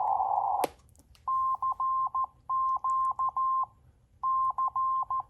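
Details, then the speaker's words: NC40A CW transceiver at 7060 kHz playing a recorded CQ from memory instead of the hand key; clean tone near 1 kHz, crisp starts and stops with no clicks, so clicks come from using the key: clean CW keying. "far as I can tell, there are no clicks. So it's not the keying that's causing this."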